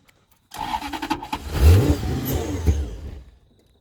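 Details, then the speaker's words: BMW E36 coupe with a swapped Gen2 Toyota 1UZ-FE V8, cranked on arrival by truck: the starter spins about three seconds and the engine catches briefly without running. "soon as it got here we did a very very quick assessment of it we cranked it over see if it would go"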